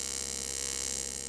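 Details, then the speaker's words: TIG welding aluminum on AC, with amperage varied by pumping the foot pedal to control heat: an even, harsh buzzing hiss with a fast flutter and swells in loudness, a normal AC TIG arc. "that's why you hear that amperage the uh the sound is kind of changing as I uh vary the amperage of my"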